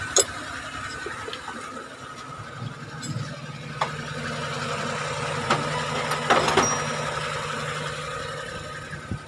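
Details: Suzuki F6A three-cylinder after fixing a misfire with new spark plugs and HT wires and adjusting valve clearance: even, steady idle with a smooth low hum and no misfire stumble, apart from a few handling clicks.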